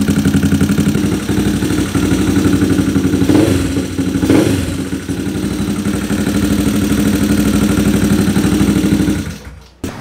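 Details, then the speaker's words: Motorcycle with a racing camshaft idles unevenly and lumpily, around four beats a second, wandering; blamed on large cam overlap with tight valve clearance, not the carburettor. "ah malaking overlap Mahirap mag ano mag idle saka kapagka manipis yung valve clearance mahirap siya mag mag idle"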